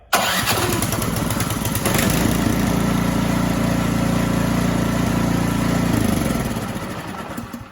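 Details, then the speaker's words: Ariens Deluxe 24 snow thrower, choke on, started with the plug-in electric starter: starter whirs briefly, the engine catches within two seconds and settles into a steady even run with no misses. "Now we have it on, choke on. I'm gonna go ahead and try to fire it up with this. Now this should be very fast, and"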